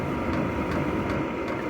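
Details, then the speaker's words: Vevor 5 kW diesel heater at cruising speed after restart once the pump drew fuel; steady blower roar with soft, evenly spaced fuel pump tick about every 0.4 s, running normally. "Donc là, on va dire qu'il est à vitesse de croisière, donc vous entendez le bruit."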